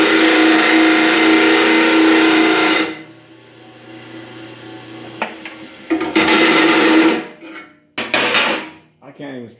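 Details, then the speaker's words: Believed 1960s-70s Black & Decker ten-inch bench grinder, 220 V 6.5 A: loud steady grinding rasp holding pitch while work is pushed hard, stopping and resuming; motor doesn't slow or bog; healthy under load. "i'm just pushing as hard as i possibly can with this and it doesn't even slow down so tons of power"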